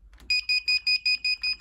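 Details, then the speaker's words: Indesit Moon washing machine retrofitted with an SXY3388 universal control board, started on a 40° cold-fill program: rapid high beeps about four a second with no motor running, a door switch error, possibly from a mismatched or miswired three-wire door interlock. "Door switch error. Oh, this could take all day."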